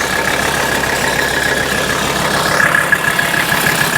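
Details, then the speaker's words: 1984 Mercedes 300D turbodiesel bought at auction listed as mechanical damage, smoking heavily; loud, rough idle with uneven knocking clatter over heavy rumble, sounds horrible, cause unknown; loud knocking diesel idle. "of course she's loud let's get this off here boy listen to that thing"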